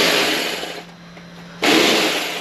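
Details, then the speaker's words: Bosch GBH 2-24 D rotary hammer, 820 W, 220 V, running but very noisy and lacking power, sparks seen: harsh hissing rasp drops away briefly then returns just as rough; internal fault, cause not yet found before teardown. "vou ligar ele aqui para vocês para vocês ver o barulho que ele está fazendo e tá sem força"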